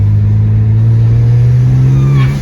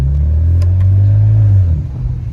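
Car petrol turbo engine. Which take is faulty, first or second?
first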